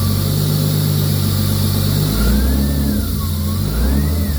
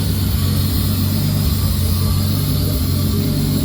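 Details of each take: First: Nissan 240SX with RB20 swap, first run after blown turbo replaced, downpipe refitted and custom intercooler piping; blips with turbo whistle rising and falling, clean even idle between; normal running. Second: Nissan 240SX with RB20 swap, after blown turbo replaced, intercooler piping mock-up: steady deep idle with constant airy sucking from the unplugged idle control valve port; vacuum leak at disconnected idle control valve.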